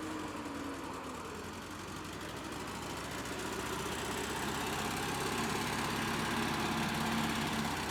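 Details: Cheap, hard-run Bobcat 610 skid steer with four-cylinder gas engine, said to crank every time and run good: steady, even idle beat with slight rise in speed, no knocks or misfires; normal idle.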